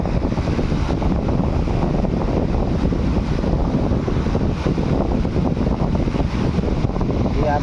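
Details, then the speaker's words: Stand fan that made a rattling noise from body play despite good bearings, after tightening it without replacing bearings: steady, even low whir with no rattle or scrape; normal running, noise gone. "इसका पूरा sound बंद हो गया है। ठीक है? इसका पूरा साउंड बंद हो चुका है।"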